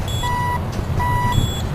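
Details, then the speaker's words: Wheel loader fitted with PreView radar object detection, display powered from backup alarm circuit: clear steady beeps about one every three-quarters second over diesel rumble; backup alarm working normally. "You can hear the backup alarm going. That's where we're picking up our power."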